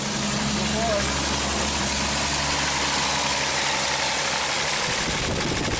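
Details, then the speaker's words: 1939 Chevrolet Master six running after 48 years of storage, before any cleaning. Steady, even idle with no misses, knocks or hunting; described as running pretty good. A throttle problem was put down to rubbing on the belt cover. "48 years and this thing is running and moving. I cannot believe it. It's running pretty good."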